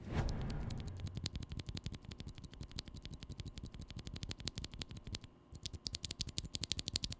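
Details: Glorious Panda tactile keyboard switches, regular lube (springs lubed, leaf spring not): quick key presses about three a second, each with a sharp thin leaf spring tick over the thock.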